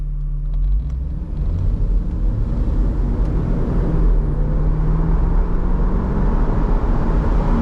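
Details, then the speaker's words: 1996 Mercedes SL500 R129 hard pull from a dead stop after driveshaft, flex disc and center support bearing repair: smooth rising engine and drivetrain hum, no thumps, clunks or vibration; driveline fixed. "let's see what she sounds like when we take her from a hard pull from a dead stop all right here we"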